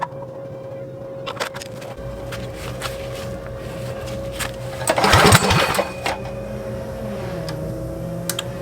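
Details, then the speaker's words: Motovox mini bike with Predator engine, abandoned two years, after adjusting PZ27 carburetor air and idle screws: steady, even idle with choke open or closed, no stalling. Normal idle. "so we got that problem fixed so now it idles with choke open and close so that's a good good sign right there"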